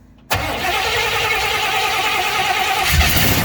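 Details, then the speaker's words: 1956 Chevy 210 V8 automatic, started off a jump box: brief starter grind, then the engine catches within a second and settles into a steady, even run without stumbling; it runs. "I just wanted to try to end this little short video on a positive note it'll run so I'm happy to hear that"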